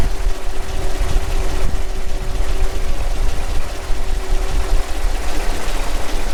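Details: Kenworth T800 log truck, stock 485 diesel engine, being warmed up after a breakdown call: deep, even rumble holding steady at idle with no stumbling, surging or dying; running fine so far.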